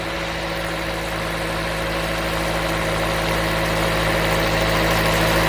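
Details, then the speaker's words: Toyota Corolla 1.8L after a crank-no-start, now fitted with a new fuel pump assembly: starts and holds a smooth, even idle hum with 50 psi fuel pressure, no stumbles, ticks or knocks. Normal idle. "so right there as you can hear the engine started the engine is running so right now our fuel pressure is 50 psi"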